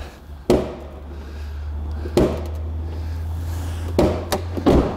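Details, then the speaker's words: 2005 Honda Element, manual: hollow thumps and a sharp pop as the tailgate opens and binds, caused by a pushed-in rear bumper. "So this is what clued me into an issue back here. And it's when you open this tailgate. Hear that? It's binding right there."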